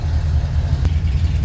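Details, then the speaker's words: Ford F100 with FE V8 after starter replacement, long-sat engine started with starting fluid, deep steady low rumble with an even beat and no knocks or misses while idling cold on choke; normal. "Take off the choke a little bit. Give it some gas. pull the choke back out. And these FE engines, they're cold bloodooded, even on a day that's 95°."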